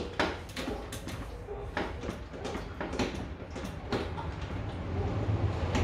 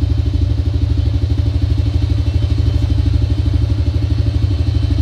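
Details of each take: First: Honda Dream motorcycle that would not start: several seconds of clicks and failed attempts, then the engine catches and runs after carburetor air and mixture adjustment and spark plug cleaning; hard starting from carburetor misadjustment and fouled spark plug. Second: Honda Dream single-cylinder motorcycle that would not start, fixed by cleaning the spark plug and adjusting carburetor air and mixture screws: quick, even putter holds a steady idle with no misses or stumbles; running properly now.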